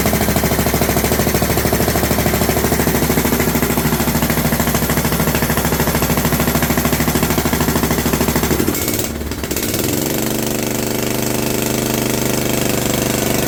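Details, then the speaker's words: John Deere LT150 with swapped-in 15 HP Kohler engine, no choke, after fuel pump primed: loud harsh popping chuff every firing stroke at fast steady run, then speed drops; exhaust leak at overlong exhaust studs, later redone, plus loose leaking spark plug. "seems noisy did I not get the muffler correctly tighten let me check it"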